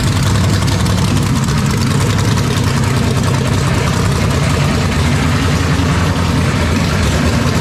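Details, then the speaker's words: 427ci Dart LS Next 2 race truck V8 on run stand, ls3 heads, solid roller cam, billet crank and rods, twin turbos, cold first start before dyno. Loud, deep steady rumble from open headers, even firing with no miss or knock; running clean and healthy. "i did not expect it to fire up on the first shot man that's crazy"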